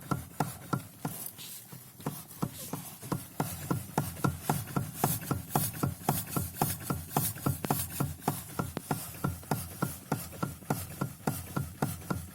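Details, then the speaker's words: Lada Kalina steering rack (3.1 turns) knocking: sharp dry uneven knocks, three to four a second, as wheel is rocked; knock returned after bushing replacement, rack regreasing, preload spring replacement; steering shaft joint bushed and greased. "и толку нихуя нету она как стучало так и стучит стук вот такое"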